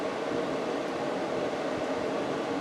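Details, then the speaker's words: Kenmore window A/C after fan motor replacement (old motor had a bad bearing), installed in window: soft, even airy rush with constant pitch, no rattle; now runs quietly. "now let me go ahead and turn it on since a set up in the window and give you an idea of what it sounds like now it's really quiet compared to what it was before"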